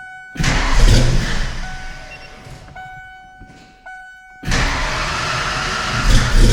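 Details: Kenne Bell 2.1L supercharged Foxbody 5.0 Mustang V8 with 42 lb injectors and bigger mass air, first start after rebuild: it catches, sags to a lumpy uneven beat and recovers, possibly running on six cylinders, cylinders 2 and 4 cold, plug wires crossed.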